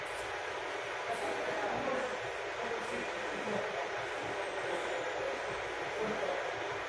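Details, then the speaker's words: Burko safety water boiler being tested with water after a detached part at the bottom was put back in place: steady, even hiss with soft rushing as the water warms, no crackle or buzz; element heating normally. "Guys, now it's making some sound. I don't know if you can hear it. Yeah, hopefully it will work."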